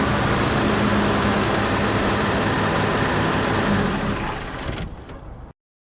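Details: 1968 Chevy II Nova 230 petrol inline six idling smoothly and evenly after the blown exhaust gasket was replaced, with no ticking or exhaust puffing.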